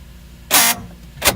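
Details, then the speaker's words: Lexus IS300 passenger door, door panel off, lock cycled: two short harsh buzzing bursts, motor spinning but gears slipping and grinding; lock still works – door lock actuator gear grinding, actuator to be replaced. "so this is just a shot the door lock actually works but that noise"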